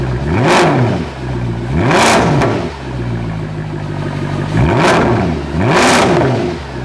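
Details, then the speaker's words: Mercedes C63 AMG Edition 507 M156 V8 with race exhaust, after new cams, tappets and hardened cam phasers, warming up with friction modifier: four crisp blips climbing cleanly back to smooth idle, no rattle; new tappets a little loud until oil change. "so the brand new taets always are a little loud and then once we get the new oil in there that noise is going to dissipate and just listen to this"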